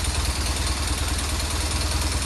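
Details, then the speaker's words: BMW R 1200 R motorcycle twin idling with a busy metallic clatter over its lumpy beat, unchanged by clutch in or out; timing chain tensioner found not working and its piston loose. "сцепление выжимаем отпускаем никто не меняется будем разбираться грешу на натяжитель цепи грм"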